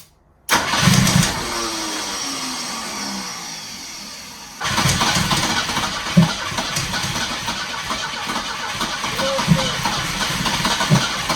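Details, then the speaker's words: 1973 Volvo 144 revived after sitting, on a third start attempt: engine races unevenly in a runaway idle with sharp irregular exhaust pops and clicking; backfiring, owners suspect ignition timing is off. "Why is it running away like that? >> It's It's backfiring like crazy, too. >> It's not in time."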